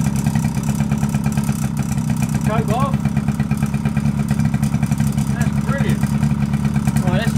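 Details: Suzuki LT50 two-stroke quad bike first run after sitting about five years, on choke, cold evening, a little smoky from two-stroke oil mixed in the petrol: steady, even busy buzzing with no knocks or misfires; clutch springs rattle, otherwise healthy.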